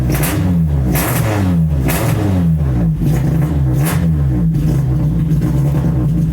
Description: Test start and poor response ultimately traced to MAP sensor and intermittent #4 injector.